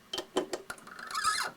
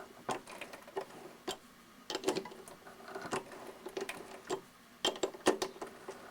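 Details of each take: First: 7x10 variable-speed minilathe cutting a thread in brass by rocking the chuck with the chuck key a quarter turn forward and back: a few sharp clicks, then a brief high squeak typical of brass, which lubricant keeps down. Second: Hand threading brass with a die on a 7x10 variable-speed mini lathe, turning about a quarter turn at a time: irregular light clicks and ticks, the earlier squeaks inherent to brass now gone.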